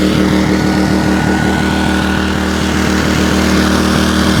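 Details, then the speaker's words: WEN 56200i 2000 W inverter generator after its hidden low-speed idle jet under the servo unit was cleaned: the engine runs at an even, steady speed under a light load, no longer surging, with output at 123 V and 60 Hz. "you can see there it's not really surging anymore like it was"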